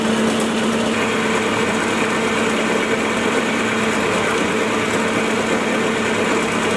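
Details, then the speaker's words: Small milling machine after column stiffening plate upgrade, heavy cut almost 3 mm wide pushing motor to its limit; steady even cutting whir, no chatter or rattling, quieter with good finish; normal heavy cut, low vibration. "now I'm doing the same Cuts as before and the difference is just astounding the biggest difference is just how much quieter the mill is the vibrations have been cut down and I can push the mule a lot further than I could before"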